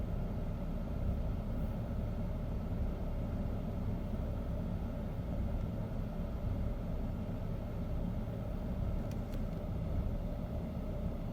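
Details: 2008 BMW 528xi at idle, deep low rumble with a slightly uneven beat; rough idle, cause not yet identified.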